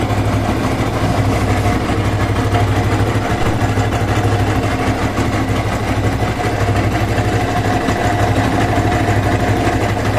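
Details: Yamaha R15 version 1 at 62,000 km idling: uneven, slightly lumpy beat about three pulses per second; strange engine sound, cause unclear.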